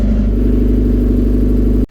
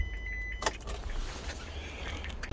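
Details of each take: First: Old convertible, smoking heavily: loud, coarse engine with a heavy, steady low drone, then cuts off abruptly; cause not yet known. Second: Rover K-series engine after flat-battery trouble, suspected parasitic drain: engine catches after a short crank and settles straight into an even, steady low idle with no knocks or misses; sounds normal.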